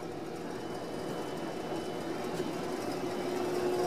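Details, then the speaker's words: 1955 RCA BTA-5G 5 kW AM broadcast transmitter cranked to full power into the load, high-voltage supply around 4,700 volts, before modulation is applied: an even blower roar with a faint steady hum, no arcing or crackle; clean normal operation. "there's our high voltage supply and we're looking for about 4700 volts so I actually do this it's probably gonna be wildly unstable on camera there we go full power into that load"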